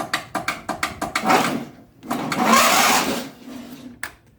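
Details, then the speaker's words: Craftsman LT1000 riding mower, 19.5 hp, 42-inch: key turn gives about eight sharp clicks then brief rough cranking, turning over only every ~20 clicks; battery and key switch ruled out, starter solenoid suspected bad. "the problem happens is that when you turn the key all it does is just click if you do it a bunch of times all sudden you might get a one click where it'll start turning the motor open"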